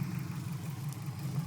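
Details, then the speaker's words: 2004 Subaru WRX with a newly installed engine, rough idle since a cold start: deep, uneven, lumpy rumble like a misfire; plugs about 2,000 miles old, no code read, jerks and won't hold steady rpm while driving; cause unknown. "just put a new motor in it uh last week I've been having this idle problem ever since a cold start it runs absolutely horrible kind of like a misfire but it it's not"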